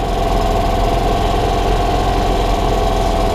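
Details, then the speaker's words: 1993 Club Car golf cart single-cylinder engine after sitting 6+ months, carburetor cleaned and refitted; uneven lumpy idle with a faint knock in the rhythm. Rough running; owner suspects a vacuum leak from bolting the carburetor back on, unconfirmed. "oh yeah i think i think i got a little bit of a vacuum leak when i was bolting the carburetor up to th"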